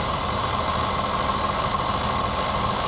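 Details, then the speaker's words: Jaguar F-Pace, 42,000 miles, just started at idle: steady idle with loose, uneven rattling under the hood; abnormal rattle, cause not yet found. "let's take a listen to that engine cuz I kind of hear some things rattling around hear that ooh there's definitely some rattles going on under here in"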